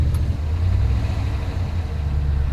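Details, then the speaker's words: Ram truck with 143,000 miles misfiring on cylinder seven despite swapped coils, iridium plugs and a new number-seven injector: deep, lumpy idle rumble with uneven low throb; misfire, cause unconfirmed. "now I can definitely hear some noise now I changed the fuel injector on number seven he said it took off a little bit better but it still has kind of a rumble"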